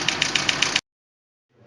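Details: 2012 Chevrolet Niva, knock in the cylinder head: sharp light ticking about seven times a second over steady idle; second-cylinder hydraulic lifter not pumping up, leaving the rocker loose.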